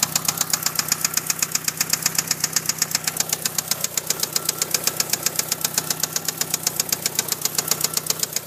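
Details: 1997 Eclipse GST at idle: sharp, even ticking about four per second, steady throughout; top-end tick or knock, owner asks what causes it.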